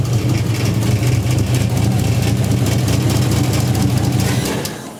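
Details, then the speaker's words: 1JZ VVTi swapped into a 240SX: lumpy idle with uneven exhaust stumble from one dead cylinder; misfire traced to an injector plug that wasn't seating right. "looks like we had an injector plug that wasn't seating right"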